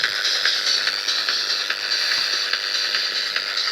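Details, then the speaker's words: Steady hiss with a harsh buzz and irregular crackly pulses about once a second in a receiver tuned to 100 MHz (10.7 MHz local oscillator); local interference (QRM) from a nearby radio, gone when that radio is switched off. "about this buzzing you hear is my qrm but you can hear it and if i turn off the radio it's gone i turn it back on it's there again"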